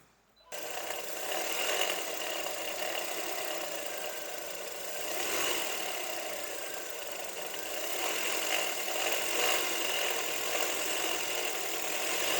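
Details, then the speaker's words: Toyota Wish 1.8 (2R engine) just after starting: a fast, uneven chattering rattle from the top of the engine rides over the idle. A previous repair attempt didn't fix it, and a failing alternator overrunning clutch pulley is suspected. "deu para deu para vocês perceberem depois vocês perceberem o barulho que tá fazendo aqui na parte de cima do motor"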